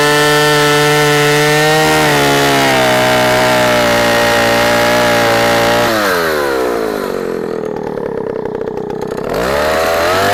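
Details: Vintage 44-year-old Husqvarna L65 chainsaw with points ignition, lower-revving than modern saws but torquey, cutting a big oak log: strong steady two-stroke howl that bogs smoothly in the cut and recovers without stalling. Normal, healthy running under load.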